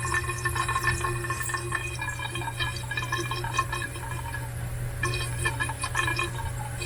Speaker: It's all tight, tight. But when you lock it off tight, it makes noise.